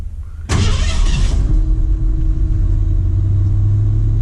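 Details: 1959 Ford Ranch Wagon engine cold start: starter catches and settles quickly into a smooth, steady cold idle with no knocking or rattles; alternator 14.4–14.5 V, oil pressure about 50 psi cold, healthy.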